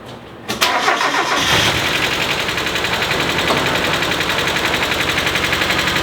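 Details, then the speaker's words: NA Mazda Miata first start after sitting 3 years, with smoke and low oil: catches after cranking into a lumpy idle with light tapping knock about four per second; sounds knocky, owner suspects low oil. "Sounds a little bit knocky, which I don't like to hear."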